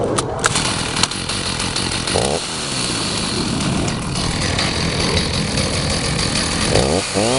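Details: Stihl 029 Super chainsaw with 20-inch bar and chain, in good shape with nothing broken or cracked, starting up: a steady buzzing idle, then clean revs with a rising whine; it runs strong and even, healthy.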